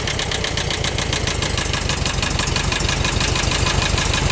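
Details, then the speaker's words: VW Bus air-cooled four-cylinder engine from long storage, after valve adjustment: lumpy idle with a regular stumble, one cylinder only firing now and then, popping through the carb; burnt valve suspected, compression test planned. "juding by the way that's popping through the carb has a burnt valve you can hear it kind of kicking in though Fire's on on once in a while"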